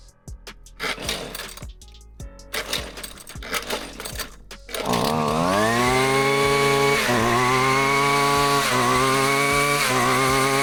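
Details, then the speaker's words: Husqvarna weed eater the customer could never get cranked: after handling knocks the two-stroke catches and settles into a steady high buzz rising and dipping with throttle; now starts and runs normally. "So I got it to start."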